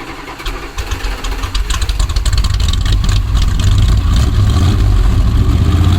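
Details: 1965 Dodge A100 van, sat for years, after fresh fuel added and carburetor bowl filled: catches and settles into an even, throbbing idle, steadier and louder, no knocks; normal idle.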